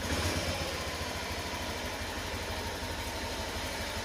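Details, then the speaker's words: Honda Beat injection scooter after routine service and warm-up: a quick throttle blip settles into a steady single-cylinder putter with no knocks or misses. The scooter runs normally and had no prior fault. "oke teman-teman di sini sudah selesai jadi motornya sudah normal kembali ya teman-teman karena motor ini tidak ada kerusakan sebelumnya"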